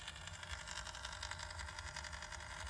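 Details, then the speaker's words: Nine-year-old ParkSafe 24V 3000W inverter, case off so louder, fans on, heater off leaving about 450W load: fine rapid raspy, fluttering buzz over low hum, constant under steady load; buzzing under load, cause unclear, owner unsure if normal. "I think it's just masking the sound really. I think it's still buzzing probably. I got red light, heater on, fans on. If I turn the heater off now, it's just that 450 W. It's that noise."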